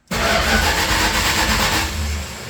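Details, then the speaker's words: 1952 Bombardier wide-gauge snow machine, push-button starter wired direct to starter: the starter spins steadily for about two seconds and the engine never catches, because the gas tanks were just refitted and the fuel system is not yet primed. "it won't fire up cuz we just put the gas tanks back in. Oh, okay. So, yeah, it's got to be primed and everything."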